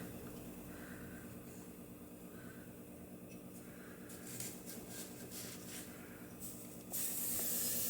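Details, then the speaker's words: Shop main heater loop left unbled after work, heater cold and shop at 40 degrees while the feed line is hot; trapped air hisses from the breather, growing to a loud water spray as it bleeds; air-bound heating system. "i forgot the other day i did some things and then i didn't bleed the system out so we've got to get some water to come out of this breather"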